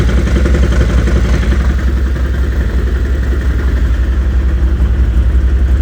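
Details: Stels Gepard 800 ATV engine at a rough idle: heavy, low, fairly regular thumping knock from inside the engine, nearly three pulses per second; engine knock.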